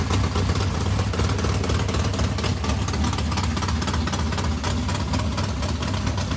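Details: Race modified V8 first start after months of work, new Edelbrock fuel pump: loud choppy idle firing evenly about four pulses a second, no misses; runs properly, water pump gasket leaking on passenger side.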